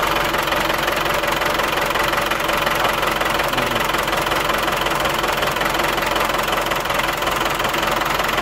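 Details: Old engine that won't shut down, smoking slightly, after a squeak was traced to the intake: runs steadily with an even, busy clatter and no surging or misfire.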